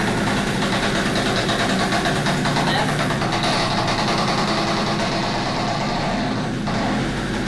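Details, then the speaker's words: Peugeot 102 moped running after carb cleaning, with a slipping clutch and belt and slight smoke: a loud, coarse, uneven rumble like a passing train, an abnormal noise of unclear cause. "I think that doesn't sound good. It sounds like a train. I don't know why it's doing that, but okay."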